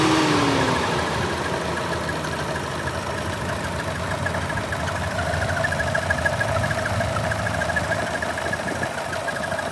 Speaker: It's always done that, but but the squeaky sound is what's freaking me out a little bit. I just got in. No, it shouldn't be doing this.